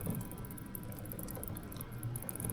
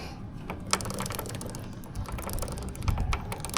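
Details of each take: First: Suzuki GSX-S150 chain and sprocket turning with a steady low whir and no ticking, after cleaning and lubrication; the ticking had been caused by a dirty front sprocket. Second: Suzuki GSX-S150 motorcycle, about 1,500 km and 4 months since last oil change, ridden in muddy rain: with chain guard and front sprocket cover removed, quick uneven metallic clicking over low drivetrain rumble at the front sprocket, caused by dirt; fix is cleaning and lubricating chain and sprocket.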